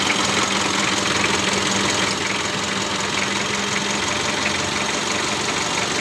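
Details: Mitsubishi L300 diesel at idle after adjusting injection pump timing to cure white exhaust smoke from incomplete combustion; even steady clatter, no knock standing out; timing now sounds right and white smoke gone.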